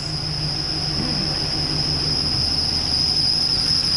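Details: Chevrolet Silverado pickup running after old fuel drained and fresh gas added, power bypass hooked up, no coolant in engine: loud, steady, piercing single-pitch squeal from front of engine; cause not confirmed.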